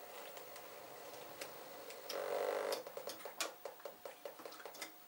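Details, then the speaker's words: Old chart recorder paper drive at 0.5 mm per second: a short whir, then quiet, quick ticking about three or four a second with no grinding. Normal paper drive. "That's on 0.5 millimeter per second that this paper is travelling this way."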